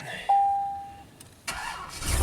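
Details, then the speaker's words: Chevy 3500 dually with a dead-battery-after-sitting complaint, battery at 12.2 V: after a chime the starter cranks slowly before it fires. Charging then reads 15 V but the battery accepts only about 10 A, dropping fast. Weak battery. "Oh, slow crank, but it fired up."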